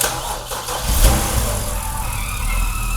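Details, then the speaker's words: BMW E91 328xi Touring, N52 engine, xDrive, startup: rough catch then idle with thin high squawk over it; suspected near engine-to-bellhousing, torque converter area, unconfirmed; owner confirms same noise. "I think it's coming from where the engine meets the bell housing, sort of near the transmission, the torque converter area."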